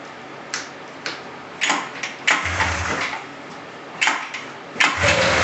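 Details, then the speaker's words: 1999 RMK 500 two-stroke snowmobile, first start after cylinder block returned from machine shop, carb bowls hand-primed, fuel filter not yet full, smoky from mixed fuel: a few sharp pops and coughs, then catches and runs crisp and even; normal start. "I'm happy, it's running."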